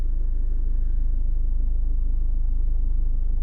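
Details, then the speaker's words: Diesel car with 5-speed gearbox in reverse, clutch being raised to biting point with handbrake on: low, even diesel throb around four pulses a second, engine note dropping as load comes on; normal bite-point sound. "You can hear the engine note. That's the car coming back down again. That's the engine note changing. Now I'm in biting point."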